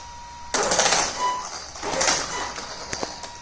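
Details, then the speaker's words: Hobbywing Max6 G2 sensored ESC (200 A, Bluetooth) newly installed on a Traxxas X-Maxx 8S with the stock sensorless motor, wheels on: choppy, uneven buzzing bursts instead of a smooth whir at low throttle, the motor stuttering and cogging under load. "But as soon as I install the wheels and test the truck, I've noticed that the motor is stuttering or cogging really bad, and this is a big letdown for me."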